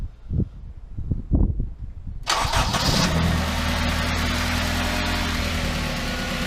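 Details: Honda Civic EP3 Type R running very badly, running on temporary wiring for ECU injector signals after swapping injectors: few slow cranking pulses, then fires and holds steady, smooth idle with even low hum; runs fine.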